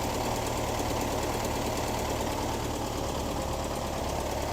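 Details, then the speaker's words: 1973 VW Squareback Type 3 air-cooled flat-four after a rebuild-style tune-up (points, plugs, injectors, valves, timing), before its first test drive. Steady, slightly clattery idle, even with no knock or miss. Normal idle. "getting it set up for our first test drive out in the parking lot, I think it's running pretty good."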